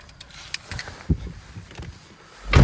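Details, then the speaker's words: Renault Megane 2, parked, steering wheel turned left and right: irregular low creaks and dull groans from the front suspension, also when pulling away. Owner suspects subframe locating pins; cause not confirmed. "кручу кермо вліво-вправо на стоячу автівку Коли я починаю трогатись зад вперед починає скрипіти і я не знаю В чому справа"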